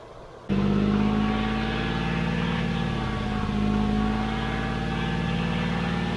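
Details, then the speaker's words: 1991 GMC Sierra 4.3 Vortec, abandoned truck with a new distributor, started and kept going with sprayed fuel: steady idle, fairly even low beat with slight wavering, no knocks or misses. Normal idle, running decently. "Okay, it's actually running pretty decent."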